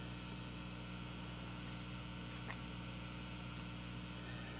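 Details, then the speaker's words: Restored Supro tube amp at full volume, measured about 54-56 dB at the speaker: soft even hiss with faint low hum, no crackle or pops; healthy and quiet. "so 56 DB 54 on that speaker you know 56 that's pretty darn quiet"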